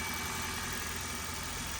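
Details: Toyota Corolla, 481,000 miles, idling after sitting 3 weeks in cold garage, engine settling toward normal operating temperature; smooth unchanging idle with light valvetrain chatter, no irregular beats, no oil or transmission leaks; normal idle.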